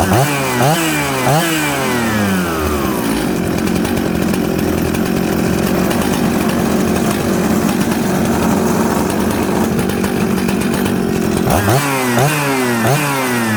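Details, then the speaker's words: Jonsered 630 Super / Husqvarna 266 mixmaster chainsaw after opening the high jet back slightly: it blips crisply, idles steadily and revs cleanly, running well. "i went back to the high jet and open it up just that little turn this is a good running saw"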